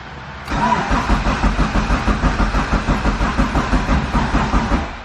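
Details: EF Honda Civic hatch with built turbo B16, existing tune, not started in a long while: steady starter churning about three pulses a second with no firing; cranks but won't start, likely distributor/timing.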